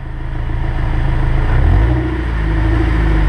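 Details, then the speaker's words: Honda S2000 after repairing the propeller shaft that was popping and clicking, in gear on a lift under light throttle: smooth low hum with no popping or clunks; driveshaft now normal. "and if y'all can hear that there's no popping here so that's a good thing"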